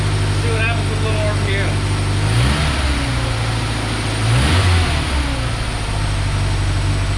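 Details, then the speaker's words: 1990 Ford Ranger with a reman long block: revs blip and hunt unevenly, a little better but still not right, from a massive vacuum leak. The PCV vacuum line was left off the bottom of the throttle body. "it's a little better still not quite right we'll try that again I had forgotten the vacuum line for the PCB off the bottom of the throttle body so it had a massive vacuum leak"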